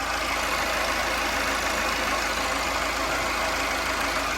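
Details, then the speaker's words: Tata 2.2 diesel after engine rebuild (cylinder 2 rebore and piston, head skimmed, valves ground, new water pump), idling smoothly and starting easily; a steady rough whirring hiss over the idle comes from a failed alternator bearing, to be replaced. "ก็จะมีเสียงดังไดชาร์จนะลูกปืนไดชาร์จ"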